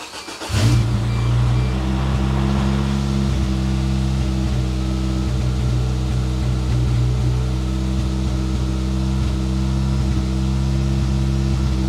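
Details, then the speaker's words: 1993 Geo Tracker that would not start, after cleaning the fuel injectors with carb cleaner, radiator fluid low: it cranks and catches at once, then settles into a steady, even idle with no knocks; it sounds pretty good but stumbled slightly. "I think she sounds pretty good don't you"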